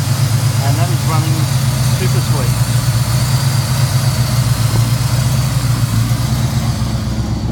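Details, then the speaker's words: 1979 Pontiac Firebird Formula with freshly rebuilt numbers-matching 301 V8, Atomic EFI, twin 2¼-inch exhaust with resonators but no mufflers, not yet fully tuned: loud, even V8 burble at steady idle with no tapping or misses; normal idle. "but anyway, she hasn't been fully tuned up yet, but she's getting there."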